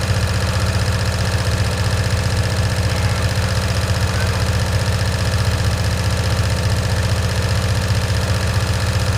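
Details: 1965 Cushman Truckster, in neutral after sitting over a year: low, steady thumping idle about four beats a second, slightly lumpy and uneven; rough running, owner suspects a stuck choke.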